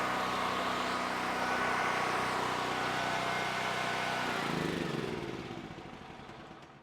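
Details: Generac GP7500E generator that would not start, bad carburetor repaired, choke on, pull started: small single runs steady and even for several seconds, then winds down to a stop; normal running.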